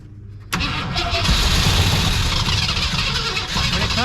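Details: 1965 Lincoln Continental that sat for years, with a new gas tank, spark confirmed and two-stroke fuel poured in; the engine spins at a steady cranking pace with a rough chuffing rhythm but never catches. Cranks, no start.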